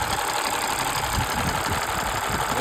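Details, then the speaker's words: Engine at warm operating temperature idling with quick light valve ticking that comes and goes, absent when cold; attributed to long-overdue oil change leaving engine oil thinned by blow-by gas; valve ticking. "Engine ঠান্ডা থাকে তখন এটা পাওয়া যায় না কিন্তু engine যখন operating temperature যায় তখন এই বালটারটা শোনা যায়"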